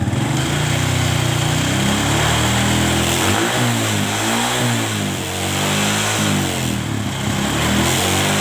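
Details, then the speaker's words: Kawasaki ZX motorcycle after carburetor vacuum and idle adjustment to cure high-rpm popping and midrange hesitation: engine picks up cleanly and evenly under gentle throttle blips, no stumble or popping; carburetion is clean and responsive. "di sini sudah oke dan janganlah langsung kita geber kita Gas pelan sedikit-sedikit kita rasakan Apakah gelas gas polanya ada brebetnya atau tidak"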